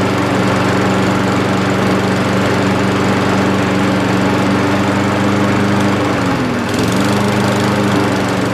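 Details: Old Mountfield push mower with entry-level Honda vertical-crankshaft engine, after clearing debris from carburettor float needle valve to stop leaking: steady even drone at constant speed, one brief dip recovering at once; normal running.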